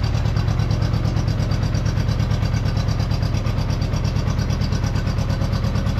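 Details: Honda Goldwing GL1200 flat-four idling after fixing leaking cylinder gaskets, spark confirmed on all coils; deep, even throb with no stumbles, running a lot better on all four cylinders after initial smoke cleared.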